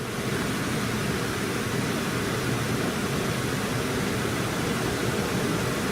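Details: 2012 Chevy Impala 3.6 V6 that gave heat only on the driver side, after replacing a faulty blend door actuator: a smooth, steady rush of air from the vents with no rattles or clicks, now blowing hot air on both sides.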